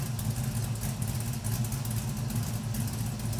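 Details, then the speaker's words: LS-swapped Camaro V8 cold idle on first start after a new oil pump, oil pickup tube fix, new fuel tank and finished exhaust: deep steady burble, even firing, no ticking or misses, exhaust quieter; oil pressure still somewhat low. "It is definitely quieter, but I think I'm gonna leave it. Doesn't sound that bad."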